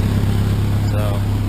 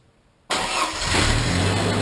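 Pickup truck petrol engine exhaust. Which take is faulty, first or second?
first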